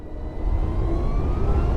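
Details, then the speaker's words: BMW CE 04 electric scooter pulling away gently in town: a faint thin whine climbs steadily in pitch over road rumble. Rider is unsure whether it is artificial or real battery and motor noise; normal electric drive sound. "You do get a slight whine, which I don't know on electric vehicles if that is artificially made or whether it genuinely is the battery and the motor working away together, making a little bit of noise."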